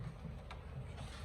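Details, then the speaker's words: Raspberry Pi IoT smart door lock, card scan test: a single sharp click over a low room hum as the door lock solenoid pulls in about 2–3 seconds after the card is detected; a normal unlock. "Nah, ketika itu terdengar suara ya, itu klik dari solenoid door lock-nya itu."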